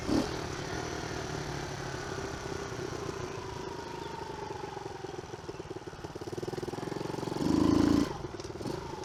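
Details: Early-2000s Kawasaki KLX110 single-cylinder after kickstart, sprag clutch, carb cleaning, oil change, chain and sprockets: putters steadily with a quick rev swelling and settling back, running clean and even.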